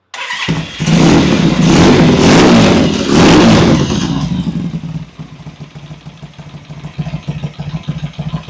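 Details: Vintage British motorcycle after cleaning pilot jets, first start: fires quickly, revs strongly a couple of times, then settles to a steady even twin-cylinder idle thump; starts and idles cleanly.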